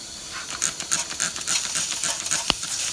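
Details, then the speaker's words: Turbocharged car, engine off, intake pressurized with a homemade boost leak tester: sharp uneven hissing spurts of escaping air, soapy water bubbling at the front intake coupler; boost leak confirmed there. "Oh, look right there, bunch of air bubbles. So you can actually see that the soapy water is definitely working how it's supposed to. Got all those air bubbles. Okay, so it's definitely leaking there."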